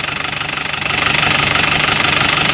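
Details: Isuzu Crosswind diesel idling right after an oil and oil filter change, filter checked with no leaks: even, steady fast clatter with no irregular knocks or misses; now smoother and quieter than before thanks to the new oil.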